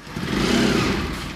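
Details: Bajaj Pulsar NS200 single-cylinder motorcycle engine running evenly with a steady mid-pitch beat and no obvious knock; sounds settled, normal running.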